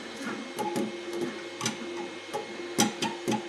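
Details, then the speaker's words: Two Trees Sapphire Plus (SP5) CoreXY 3D printer during first test print: irregular light clunks, about two a second, over quiet motor hum; the filament spool is banging against the frame extrusion, harmless. "yeah that sounds coming from here okay not an issue not an issue it's just the uh spool that's banging into this uh into this Extrusion"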